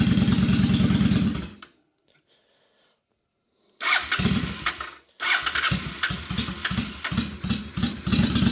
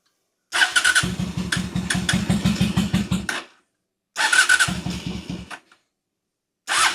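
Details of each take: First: 2003 Honda Shadow Spirit VT750 V-twin at idle after annual carburetor clean (had been running on one cylinder): short crank, catches, settles into an even, steady lope with both cylinders firing cleanly and no misses; idle super smooth, normal idle. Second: 2003 Honda Shadow Spirit VT750 V-twin on non-ethanol fuel, carb trouble recurring yearly: starts in short lumpy, uneven bursts that die out, running on one cylinder; carbs due for cleaning.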